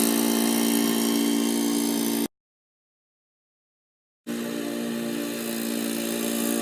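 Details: Old Murray riding mower with a 12 hp Briggs & Stratton engine, mowing in 30–33 degree heat: even, steady drone at constant pitch while cutting, with no misses or knocks; normal healthy running under mowing load.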